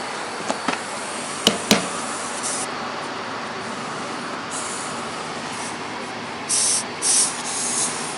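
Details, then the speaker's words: Late-90s Murray Select riding mower with 17hp Briggs opposed twin, tires just aired up: two short sharp hisses of escaping air, the valve stem leaking and not holding air. "valve stem's leaking not holding air"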